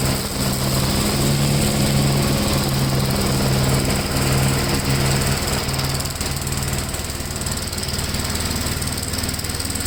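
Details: 1957 Gravely tractor mowing test: steady single-cylinder thump, about four beats a second, holding even while mowing without stalling or misfiring; runs pretty good, normal running under load.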